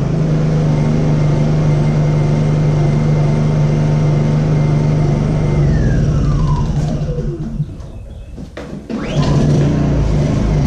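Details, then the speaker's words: Honda EU2000i generator that had started surging at idle; after startup it drops to low idle and runs rough, popping, sputtering and coughing. "once it goes on the low idle it doesn't either well it kind of pops and sputters and coughs and hacks and wheezes"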